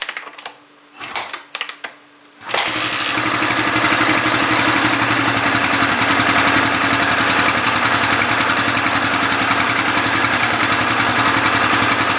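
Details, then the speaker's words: Yamaha New Vixion single-cylinder motorcycle after replacing the cylinder block and piston damaged from low oil: a few quiet clicks, then it starts at once and holds an even, steady idle with no knock or rattle; repaired, running normally. "tiếng oblak gần giống như tiếng oblak trên trục khuỷu sau khi tôi thay lốc máy và piston của động cơ khởi động bình thường,"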